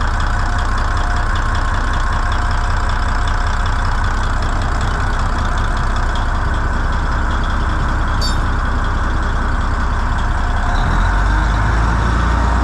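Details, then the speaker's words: N14 Cummins diesel with a new ECM, after the 433 manifold pressure sensor code was fixed and no codes remain, idles with a heavy, even rumble and no misses or knocks. Normal healthy idle. "poor old girl that's all she needs is just a little love and she'll run somebody that actually knows what the hell they're doing yeah that's good"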